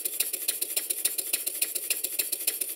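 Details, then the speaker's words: Stuart Number One model steam engine after adjusting the main bearing top caps: a light, even ticking about seven beats a second with no knocks or clatter, running noticeably smoother. "now having given the bearing top caps some attention you can hear how much smoother the engine is"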